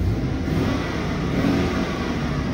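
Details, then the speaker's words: U-Haul fleet truck whose customer reported oil pressure loss and rough running (low oil, pickup sucking air): it idles at 40 psi oil pressure, revs up cleanly and drops straight back to a steady idle at just under 40 psi, with no knocks. Sounds healthy. "it jumps up just like it should and it should go right back down to 40 maybe just the hair under and stop bam right there"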